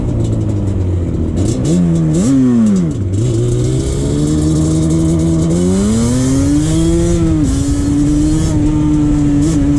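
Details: 2001 Yamaha Banshee 350 two-stroke on a POV test ride after new clamps fixed an exhaust leak: crisp revs climb and fall cleanly through quick shifts, no puffing or ticking from the pipes. Exhaust sealed, normal.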